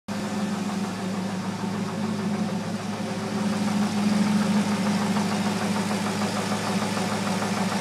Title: 02 Z06 engine knock